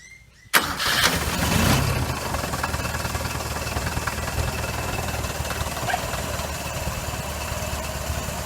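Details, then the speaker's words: Toyota 4K engine after tune-up valve clearance adjustment, intake 0.18 mm and exhaust 0.25 mm: cranks and catches at once, flares briefly, then settles into an even, quiet idle; the earlier valve ticking is gone. "Okay, so nawala po yung lagitik. So yan po mga kaibigan, wala na ho yung ingay niya na lumalagitik."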